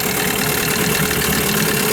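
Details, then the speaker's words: New Hangkai 9.8 two-stroke outboard being run in a barrel, after a cylinder-flooding fix (plug gap 0.8 mm, CDI ground moved to the engine block): even, steady buzz with no misses or stumbles; normal, smooth idle. "В конечном итоге добился. Сейчас работает ровно и безупречно."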